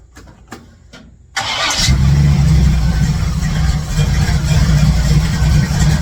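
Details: 1967 C10 truck V8 with ball-seat headers, started after exhaust work and refitting all plug wires; short crank, then steady even idle on all eight cylinders, some burn-off, no ticking or puffing, no major exhaust leak heard: normal idle.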